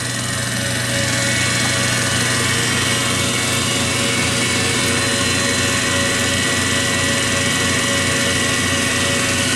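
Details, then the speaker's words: 1920s Kwik-Way valve refacer after cleanup: a steady motor hum with even spindle whir, with both grinding and work spindles turning. A faint regular tick of about 160 per minute is thought to come from the belt joint passing the lower pulley. "now the grinding spindle is thinning and so is the work spindle"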